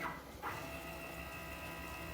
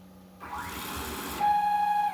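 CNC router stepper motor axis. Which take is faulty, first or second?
second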